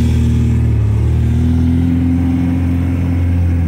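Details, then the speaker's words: 1972 MGB with SU HIF44 carburetors, previously rough with no power off idle, after adjusting the air-fuel mixture screws, about 60 degrees out: deep, even engine note pulling steadily under acceleration with no stumble; mixture now right. "okay everybody just doing what i did listen how smooth this car is i can't believe it look at this"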